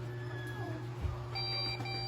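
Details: Desktop PC with no display: long shrill POST beeps repeating over steady fan hum, memory fault; fix is removing RAM and cleaning contacts with pencil eraser.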